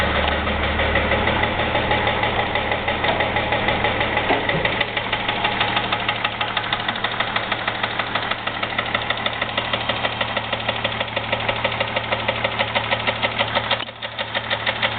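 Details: 2001 Jeep Grand Cherokee 4.0 idling, oil changed regularly, noise began suddenly without warning; sharp regular knock about three a second, steady throughout, owner unsure whether piston slap or rod knock, oil pan not yet pulled.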